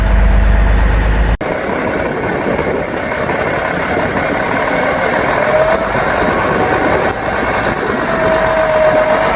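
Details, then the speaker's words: Seddon Atkinson 311 Cummins-powered classic diesel truck, yard find not heard running before, first start: catches and settles into an even, steady idle with no knocks or misses; sounds healthy and holds coolant without leaking. "It sounds sweet as a nut and it does hold all its fluid."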